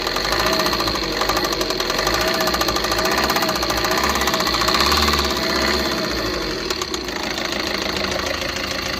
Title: TATA INTRA V30 BS6 KNOCKING SOUND